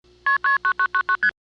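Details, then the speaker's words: May 1982 Ocala, Florida local-network survey call: the downtown Ocala digital switch sends seven quick two-tone MF bursts, the first two both key pulse tones. This doubled KP would upset most switches, but the Silver Springs Shores ESC accepts it. "That's the digital in downtown Ocala messing up, sending a double key pulse in the MF sequence. Most switches that heard that would not like it."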